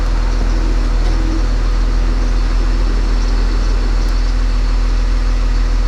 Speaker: I am going to crank it Wow it started I succeeded